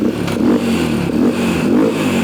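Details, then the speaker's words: 123cc Yamaha single-cylinder dirt bike rebuilt with Temu cylinder kit, after fixing a fuel leak: steady idle a little high with slight top-end noise, quieter and less clangy than with the old parts. "sounds good it's a little high on that idle there but did it stop leaking"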